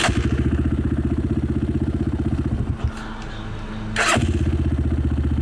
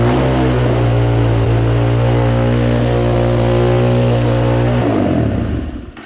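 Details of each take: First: Cheap Amazon 250cc single-cylinder dirt bike after fitting an aftermarket carburetor fires straight up with a crisp pop, dips briefly, then picks up cleanly; starts and idles healthily. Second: Cheap Amazon 250cc dirt bike, stored five years, holds a steady high-rpm roar for five seconds then dies; throttle cable at carburetor top appears not seated, holding the quarter-turn throttle open and feeding extra fuel.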